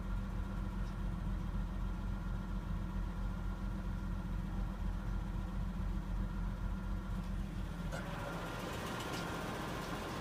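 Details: Nissan Laurel RB20E at idle after five minutes of warm-up, with a light, quick ticking of about three or four per second over the engine note; the owner attributes it to the hydraulic lifters.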